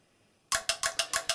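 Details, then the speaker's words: LG 42LC2DB TV on power-up: sharp relay clicks repeat about six times a second with no power, cycling in standby; suspected failing power-board capacitors. "nothing happens apart from this just cookie cookie cookie tricky dick actually one time it did power it properly but mostly it just goes yucky clicky clicky clicky clicky clicky"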